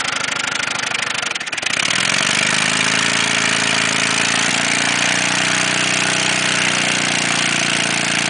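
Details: Ford Taurus engine running with no oil in the pan fires up, then a ragged, uneven knock about three to four a second rattles through the idle; oil-starved rod bearing knock, run until it seized and stalled.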